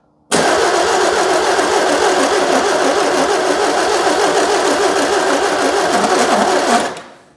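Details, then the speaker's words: 2CV-based Falcon S kit car abandoned 23 years, on a booster pack: starter turns engine slowly with heavy compression beats and no firing; slow labored cranking, carburettor float bowls likely overfull. "uh so we're now on the um Clark booster I haven't used for years yeah let's see if this will um increase that cranking speed a"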